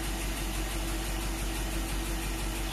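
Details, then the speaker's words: Rebuilt Willys truck, just after first cold start following 12 months idle; low even idle getting quieter, steady beat, no misses or knocks, sounds like running on all cylinders: normal idle. "idle C now now it's getting quieter sounds like it's running on all cylinders"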